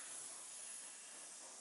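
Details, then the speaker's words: Truck air system after a quick-disconnect was recut and greased: a soft, steady hiss from a tiny remaining leak at a special fitting that can only be fixed by replacing the piece; it is left for now. "there's nothing I can do with this this is a special fitting on here there's nothing I can do besides replacing that piece so it's just a little tiny tiny leak and I'm just gonna have to just let it go for now"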